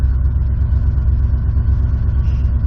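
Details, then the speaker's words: Old Ford F-150 started at about seven degrees in a snowstorm after a reluctant crank; deep, uneven low rumble with a lumpy, unsteady beat as it struggles just after the cold start. Rough running after cold start. "all right yeah she's not liking that she wanted to stay asleep i don't blame her"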